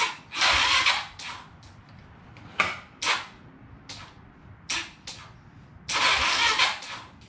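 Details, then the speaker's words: 2009 Kawasaki KLX 140L dirt bike after charging the battery. Several short cranking bursts with long pauses and it never catches; a failed start, and the owner suspects the fairly new battery is bad and not holding charge. "guys I just talked to my dad and pretty much well we think is the problem is this battery is bad the guy said he put a new battery in but it doesn't seem like it looks pretty new but as you could see like I don't know it's just not holding juice"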